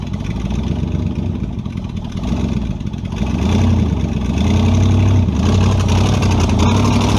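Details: Model A with a 350 small-block Chevy (hydraulic roller cam, 9:1), tunnel ram with two Edelbrock 600 cfm carbs jetted lean, in a driveway test: lumpy idle, then revs climb sluggishly and flatten at wide-open throttle; owner unsure if rich or lean.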